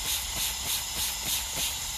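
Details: Eaton Fuller FRO16210C ten-speed shift top plate, water- and rust-damaged, on the bench. A steady hiss with soft pulsing about three times a second is air bypassing the range piston, bubbling from the top plate.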